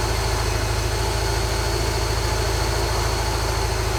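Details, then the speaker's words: 1986 Volkswagen Vanagon Westfalia automatic: low lumpy idle about three uneven beats a second; after a couple minutes it misses, smokes a lot and runs rough; owner believes engine needs complete rebuild. "I've driven it probably two miles and after a couple minutes of running it starts to miss smoke a lot runs pretty rough"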